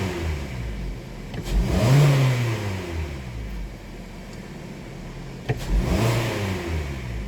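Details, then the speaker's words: 2018 Hyundai Sonata 2.4 with P1326 knock sensor code: two sharp snap-throttle blips rising and falling smoothly, no clunk at tip-in; no obvious rod knock heard, scan shows knock not detected. "It's just knock detection off, so it didn't detect any knock."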